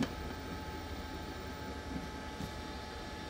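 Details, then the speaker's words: LG 20 kg washer-dryer with dHE error, timed dry, spin cancelled, just started and heater not yet hot: steady low blower whoosh with faint constant hum, smooth and even; dryer running normally. "You can hear the noise. This blower already start. Machine is running."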